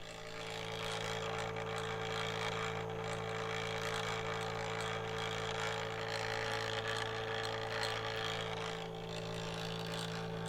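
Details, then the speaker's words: Kodak Advantix Film Drive FD300 APS film scanner, microphone moved close to the machine: steady low motor drone with a soft even whir, no knocks or catches; normal scanning operation. "I'll move the microphone closer to machine for an indication of its beautiful tones"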